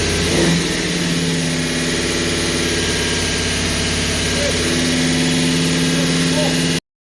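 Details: Holden HQ 308 V8, first start after full rebuild, bores re-sleeved to stock 101.6 mm, Crow Cams 5651 cam (282° duration, 114° LSA), remanufactured Quadrajet carburettor: lumpy cam idle, then a clean even climb in revs with no knocks or misses; healthy.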